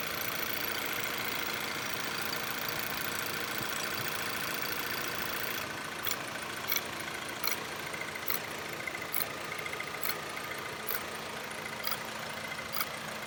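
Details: Viewer's car engine at idle, normal steady rpm and no misfires: loud steady metallic rattle and ringing ticks from the top end; suspected low or no oil, not confirmed; top-end rattle.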